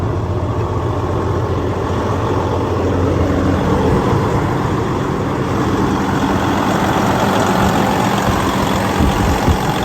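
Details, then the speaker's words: 2012 Freightliner Cascadia with DD15 diesel, 13-speed manual, idle raised on cruise, oil pressure about 65 psi, DPF light on: steady even low chug with no knocks, misses or rattles; normal raised idle. "So I'm just gonna put it up on cruise a little bit. I want you to hear the engine running. So you can see we've got it up to 125."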